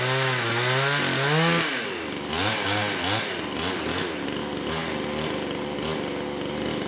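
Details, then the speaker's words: Kraftworld KW-5800 58cc Chinese chainsaw after repairs restored a fuel pulse, carburetor refitted, cover off: catches and holds on choke, revs rising and dropping unevenly; keeps running and revs, though needles are a little off and need dialing in. "you know we're a little off but playing with the choke I was able to keep it running and rev it up"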